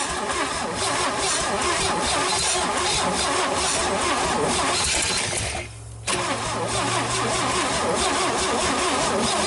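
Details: GMC 305 V6, first start in years, vacuum advance port plugged: long crank with ragged firing, a brief stumble, then uneven running; ignition timing appears out.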